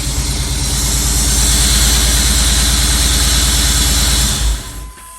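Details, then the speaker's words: 1992 Chevrolet Camaro Z28 after fuel pump and sending unit replacement, running with exhaust connected: steady, even idle with smooth regular pulse about four beats a second before shutoff; healthy. "Engine sounding good, guys."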